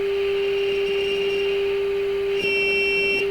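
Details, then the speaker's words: Hammarlund SP-600 before 455 kHz IF alignment: a steady piercing squeal with a faint higher whistle. Owner suspects an unshielded signal cable on the first mixer tube grid, possibly too strong a signal; unconfirmed. Oscillation squeal. "And I think that oscillation is related to the fact that I've got this big white cable hanging out off the grid of the mixer tube, first mixer tube, and the shield is off, and I'm pumping a signal directly onto the grid."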